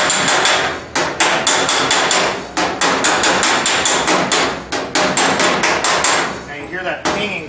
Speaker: THAT'S CALLED hammer on dolly. That's where you're actually stretching the metal between the two.